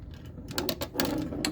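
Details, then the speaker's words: Data East Star Trek pinball, restored playfield: ball rolled over rollover switch gives light crisp clean clicks; switch working properly. "Roll a ball over it. Seems to be happy."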